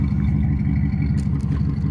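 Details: 1991 Camaro RS with a 305 V8, idling: deep, uneven, lumpy, stumbling idle caused by bad injectors and a blown head gasket; the engine also overheated quickly.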